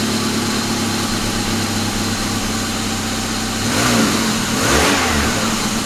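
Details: Rebuilt 1999 Grand Am GM LD9 2.4 Quad 4, just started for the first time, idles evenly with a gritty grinding that swells with revs from the AC compressor clutch on the serpentine belt; the compressor, whose shaft seal also leaks, needs replacing.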